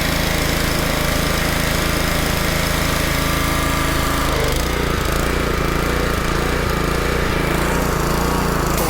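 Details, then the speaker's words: Honda pressure washer that wouldn't start because of water in the engine's fuel, running after the problem was cleared. The small single-cylinder engine holds a steady governed speed with an even chug and no stumbling or surging; it runs healthy. "And there we have it. So it was just the pump that was having, well, excuse me, the engine was having water problems."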